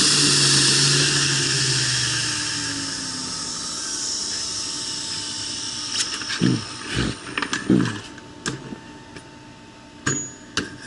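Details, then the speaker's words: Prototype belt grinder center-tracking assembly, steel wheel on a shoulder-bolt axle, first high-speed run. High spinning whine sags and winds down, then scattered knocks; the wheel heated and expanded until it stopped moving. "all right so the wheel heated and expanded and then stopped moving so i need to get that fixed out fixed up i have to do a redesign on the wheel"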